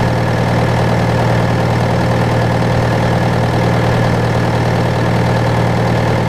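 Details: John Deere 6115M diesel tractor (about 3 years, under 1000 hours) idling after rubber fuel line replacement and electric-pump priming; deep, steady idle with even low thrum, no knocks or misses; normal idle.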